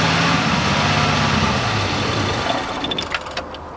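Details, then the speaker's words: 1987 Oldsmobile Cutlass G-body revived after sitting: runs briefly on fuel poured into the carburetor, then loses power and dies within about three seconds; fuel starvation, owner suspects an empty tank. "Alright, well I guess that is all it'll do. The gas gauge is now showing that it's past full, so I'm going to guess that there's nothing in the gas tank."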